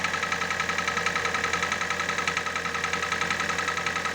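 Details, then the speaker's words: Hyundai i40 2.0 4G NA petrol engine that burns oil, before full overhaul: steady idle with an even hollow knock about 3–4 times a second, piston slap from scored cylinder walls. "Слышите, да? Это у нас чуть-чуть поршневая группа. Моторы недоработаны из завода."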